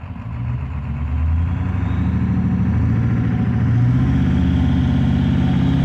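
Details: 7.3 PowerStroke diesel with blue smoke, revs climbing under throttle with an uneven, lumpy pulse in the low rumble, a cylinder missing under load; cause suspected, not confirmed.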